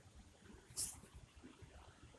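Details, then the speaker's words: Satellite TV receiver power supply on first start after replacing the swollen input capacitor in its hot side (cause of the transformer whistle and poor switch-on): near silence, only faint room hum, no whistle or whine. "что мы слышим ничего песка нет вот так вот устранился"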